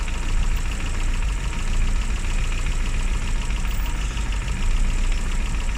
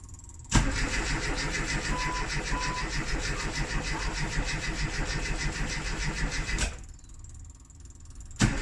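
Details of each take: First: Classic Mini (Riley Elf) with points ignition, idling after a hard cold start on the year's coldest day, following about three months unused: low, steady rumble with no speed changes; continuous normal idle. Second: Classic Rover Mini with points ignition, left sitting three months: starter churns steadily about six seconds, stops, cranks again, engine never fires; crank no-start after long storage with heavy battery use, cause not confirmed.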